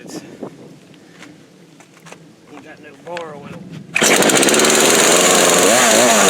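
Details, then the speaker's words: Craftsman 18-inch 42cc chainsaw, stored about 5 years, on old fuel: after choked pulls, fires and holds a loud, steady, high-pitched buzz without dying or hunting; runs healthy. "no short video but anyway it still runs I can't believe it runs on that gas"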